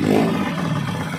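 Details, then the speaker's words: Euro 150 motorcycle after replacing clutch lining and timing gear, previously very noisy and neglected: smooth, even engine note with no knocking, ticking or rattle, now running quiet and healthy. "Yan po yung maingay kanina Yan po napakagandang andar na"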